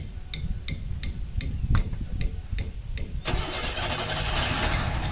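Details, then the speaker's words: 1990 Camaro RS first start after 12–13 years sitting, new fuel pump and sending unit, fuel lines blown out: slow cranking then catches and runs lumpy and ragged; misfire because plug wires were crossed out of firing order. "I just might get this thing dude the hell don't sound good I don't know if I can do this"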